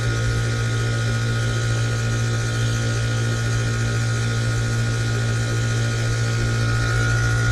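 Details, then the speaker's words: Bryant home air conditioner outdoor unit: steady compressor hum with lazy, uneven condenser fan whoosh, fan struggling and not restarting after shutoff; condenser fan running slow, suspected shorted winding, bearings not seized. "it's struggling and then when it does turn off it won't turn itself back on so you'd never be able to run this sustainably like that"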